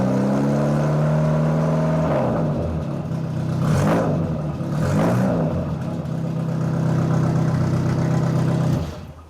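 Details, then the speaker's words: Austin-Healey Bugeye Sprite with used exhaust, idle and rev blips: harsh, raw, near straight-pipe bark; muffler barely muffling, to be replaced with a generic 1.5-inch inlet muffler. "it's not doing much muffling at all so I'm going to remove this and replace it with something hopefully a little quieter"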